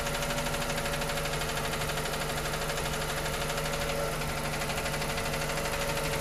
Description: This noise appears on the cold motor and disappears as it warms up. It started as the mileage reached just 10K km.